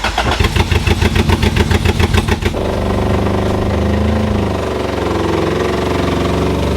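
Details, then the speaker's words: B20-swapped EK Honda Civic: short rhythmic cranking, then it catches and holds a fast, steady idle around 4,000 rpm, far above normal; owner suspects a stuck IACV, though the car drove smoothly a short distance. "And that makes me wonder if the IACV is stuck, that's why it's gonna be revving like that."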